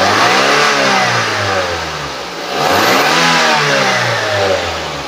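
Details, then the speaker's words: 2013 Daihatsu Gran Max 1.3 petrol engine revved from idle to higher rpm, smooth and even with no knocking, responsive. Idle steady and not limping, oil normal, no white smoke: a healthy engine. "nah ini untuk kondisi stasioner suaranya masih oke normal-normal aja tidak ada ciri-ciri harus turun mesin atau tidak ada ciri-ciri mesin bermasalah kondisi mesin juga tidak pincang suaranya langsam masih bagus"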